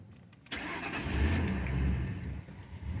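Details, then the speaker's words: 2002 Ford Crown Victoria with the 4.6L V8 and 103K miles, intermittent cold start problem. Brief crank, then it runs low and uneven, surging with no fast idle, and stalls when the gas is released. Idle air control valve suspected, not confirmed. "so you should roar to life and go right on fast idle it's not doing that"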